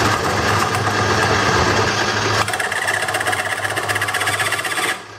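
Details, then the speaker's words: Wood lathe turning a wet black walnut bowl: a harsh rattling chatter about four beats a second, then it quiets. The turner suspects the skew chisel, metal against wet wood; cause unconfirmed. "God, that sounds awful. So someone, you need to let me know what the hell this noise is, because I think these are skews. It happens when I use my skews. I think it's the metal against the wet wood"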